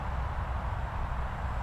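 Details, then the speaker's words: MJX Bugs 3 brushless quadcopter in flight: steady low buzzing drone of motors with a slight fluttering wobble, nothing harsh or grinding; flutter judged not a problem. "sounds like a little bit of a flutter on the motors there"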